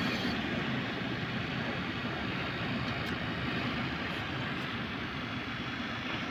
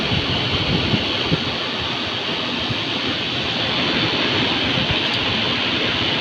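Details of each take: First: Heater blower motor (Volvo ventilation) powered from the fuse panel with ignition on, running at high speed. Steady, even rushing whir with no ticking, scraping or wobble. Normal running at high speed. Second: Heater blower motor (Volvo ventilation) fed from the fuse panel. Steady rushing roar with a rough, gritty edge and no clear beat. Blower motor noise.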